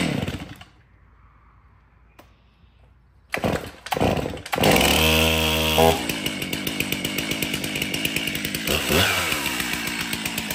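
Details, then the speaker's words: Stihl MS362 chainsaw, 7 years of hard use, in for hard starting and low power, test cutting hardwood after service: crisp two-stroke snarl, revs cleanly and holds speed in the cut; starts good, runs excellent. "okay so the 362 starts good runs excellent"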